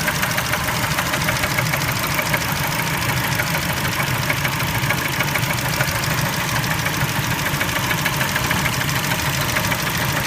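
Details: Spectra engine at idle: a rapid, fairly even metallic knock of roughly two per second rides over a steady idle; engine knock, cause still to be traced.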